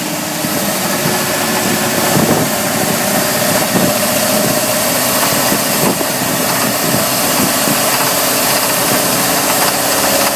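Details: 5.7 Mercruiser marine V8 under way in water at 2000 rpm or higher knocks three to four times a second; after overheating from a blocked water intake, a blown head gasket let coolant into two cylinders; fixed by machining heads, new gasket.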